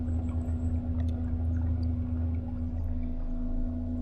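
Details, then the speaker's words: EDGE K4 Smart Drive eFin on a kayak/SUP on cruise control at 1600 RPM, 2.9 mph, battery about 60%: smooth constant low hum with steady higher tone over water noise, no knocks or rattles; running healthily. "Currently cruising along at 1600 RPM, 2.9 miles an hour. Nice."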